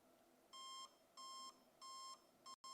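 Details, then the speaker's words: Zhiyun Weebill S gimbal powered on with axes deliberately locked: four short high beeps about two-thirds of a second apart in a quiet room, the warning that one or all three axes are locked; unlock all axes before power-on. "So if you hear that sound, you're one or both of your axes, one or all three of your axes are going to be locked."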